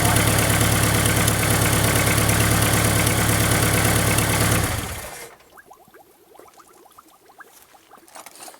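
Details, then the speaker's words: 1999 Dodge Neon coupe, first start after replacing heater coolant lines and deleting the EGR: steady idle with a quick, even puffing tick about four per second; exhaust leak blowing out the back of a joint, stock bolts to be replaced. "At least I found it right away. It's blowing out the back of it, which is really, really weird."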